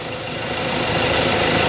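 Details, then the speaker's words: Ford Ranger 2.2 with engine shake and a cylinder 3 injector circuit code, after coil check, gap and ignition adjustment and reconnecting the injector plug: steady, even idle with a low rumble and no misfire, much smoother than before. Normal idle. "เดี๋ยวปลั๊กหัวฉีดเข้าไปทดสอบยการสตาร์ทเครื่องยนต์เบิ้นๆดูหน่อยครับพอโอ้นิ่งกว่าเดิมนิ่งกว่าเดิวเยอะเลย"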